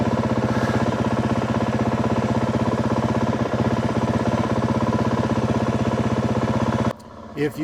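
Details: 2025 Yamaha WR 450F on a trail ride after a fall, chest-mounted camera: slow, heavy single-cylinder thumping stays flat at low revs and won't pick up; the bike won't move freely and the engine is bogging, cause still unknown.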